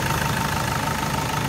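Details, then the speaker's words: 2008 SsangYong Actyon after replacing the tensioner screw that caused clacking: smooth, even idle with steady low hum and no clicking or clacking; normal. "here it is together no more clicking sound [Music] no more weird clicking sound so"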